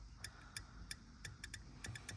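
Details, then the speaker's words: 2020 Vauxhall Vivaro BSI board bench-tested with 12 volts on each relay coil: sharp, uneven clicks and a squeal from one failed relay, suspected high internal resistance; the other relays are good. "high resistance in there of some sort but we have got nothing on there um so that one here is a bad whe rest of are good"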